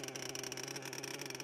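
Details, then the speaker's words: HPI Savage XL Octane nitro engine idling too fast: fast, buzzy steady high-pitched drone; idle stop screw set too high, fix by turning it counterclockwise until the wheels stop. "creep forward when the engines running this is usually caused by the idle speed being a little too high."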